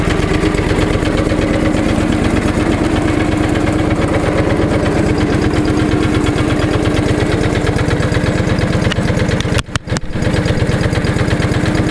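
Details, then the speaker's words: John Deere 445 garden tractor, restored, after replacing the ethanol-eroded small rubber fuel hose at the pump on top of the tank. Steady, even idle with a regular low thump and no misses or knocks: runs perfectly. "as soon as that hose got put in the tractor started up and ran perfect so I'm going to start it up for you guys so as you can tell it's a pretty well well running machine"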